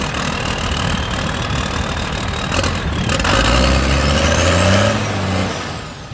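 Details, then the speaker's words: Lifted Cummins diesel truck, unstarted for about 2 months, in cold weather, failing on jumper cables and now on jump boxes giving 48 volts; long rough crank that finally catches, stumbling up to speed and settling; hard cold start, owner suspects the cold. "So all we can do is hope that it starts. I think it will, but there's a slight chance that it's too cold, and it'll just be living outside for the next 4 months until the weather gets above 20 degrees."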